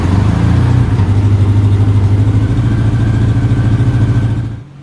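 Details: Honda Gold Wing seen for sale, at start-up: an uneven, lumpy idle pulsing about three times a second with a stumbling beat; a missing cylinder is suspected.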